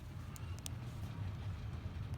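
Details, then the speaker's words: Central air conditioner that wouldn't turn on in 90-degree weather, after replacing the failed capacitor: condenser unit runs with a low steady hum, quiet, no buzzing, chatter or hard-start strain; normal running. "how'd she sound up there nice and quiet nice"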